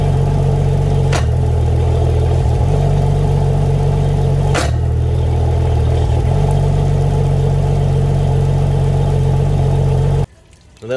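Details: Yamaha outboard on a Contender 32CC, run on a water hose after long sitting with wiring newly hooked up: steady, even low idle drone with no knocks or misses until shut off. Normal idle; brief lifter clicking at startup is normal for Yamahas.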